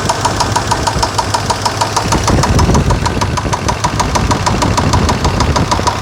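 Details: Chevrolet Suburban 5.7L V8 started after sitting a few months, fluids checked, good gas: started normally, then within seconds sharp evenly spaced ticking about three per second over steady idle; knock or tick, source undetermined.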